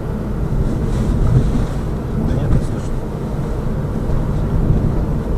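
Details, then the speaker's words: Lada Vesta Cross with AMT, fully loaded with four people, action camera on driver's head, after shock-absorber struts were replaced; steady road rumble and wind over bumps that previously clunked, now no knocks; quiet suspension. "есть вот едем по кочкам по которым в принципе всегда бряка даже собираю тут специально все трещинки и так далее этого звука нету"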